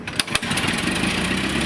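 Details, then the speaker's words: 1911 Buick brass-era car with an added electric starter: a couple of sharp cranking pops, then it catches right away and settles into a steady run; starts promptly and cleanly. "It have electric started added, huh? But if things are doing what they're supposed to, it should start."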